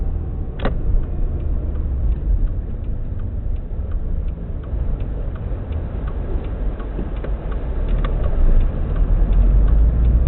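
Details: Subaru WRX EJ205, warmed up, at idle: lumpy uneven beat under light ticking, cylinder 3 misfire not fixed by spark plugs, cracked valve suspected; engine shakes a lot, small squeak from AC compressor.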